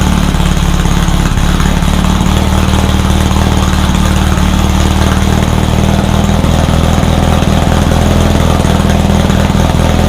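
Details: Rebuilt VW 1600 flat-four in a Baja Bug, first start after a two-year teardown, after retarding over-advanced timing: even, steady low drone holding one speed without stumbles or misfires; it fired up and ran pretty good.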